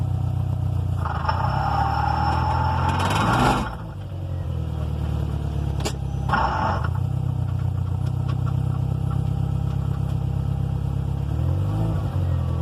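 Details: 2005 Subaru WRX STI transmission: engine revs high but car barely moves, with rough scraping bursts cutting in and out, pointing to transmission grinding or a slipping drivetrain.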